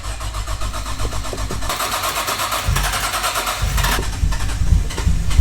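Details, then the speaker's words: Nissan Skyline with RB engine, started after being parked a long time: slow uneven cranking for under two seconds, then it catches and settles into a steady, rough idle. Oil pressure is good; it starts fine. "Yes! Alhamdulillah! She's still running, that's all that matters."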